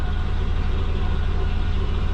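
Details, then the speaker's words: Subaru Forester after low-mount exhaust and new O2 bung fitted: deep, even idle with steady low thrum, no misses or knocks, described as sounding like a Jetsons car; normal idle. "what do you reckon it sounds like a jetsons car but nice idle"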